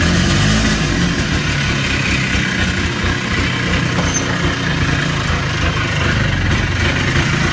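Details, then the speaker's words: Polaris Trail Boss 250 ATV (titled 2000, owner guesses 1988 or 1992), idling outdoors in cold weather after carburetor work. Fairly even, low, slightly uneven thrum with no misses or knocks. Runs fine now. "okay well she's all done we got her Rave back to life I was surprised about that carburetor that it was going to do it"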